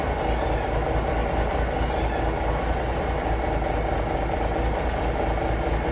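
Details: Paystar diesel idling after the radiator rebuild with new gaskets; smooth, even low thrum, no misses or knocks, air building to about 70 lb, running beautifully, no leaks; normal diesel idle.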